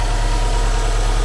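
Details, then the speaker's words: One-owner, all-original 2004 Subaru Impreza WRX STi after cold start, not yet revved, near operating idle speed but not fully warm: deep, steady idle with even low throb, no knocks or ticks; smooth, nice-running engine. "just the smoothness of this engine we've heard a lot of engines here at alpha cars we certainly heard a lot of subaru engines and this is a nice nice running engine"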